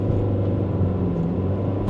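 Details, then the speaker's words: High-mileage $1200 ex-Domino's pizza car, idles well but under throttle a heavy labored drone bogs down badly, then surges once rpm finally rises; owner suspects timing issue or bad gas, codes not yet read. "It starts getting up there, like it's bogging down really heavy. And when the RPMs finally start getting up, it surges."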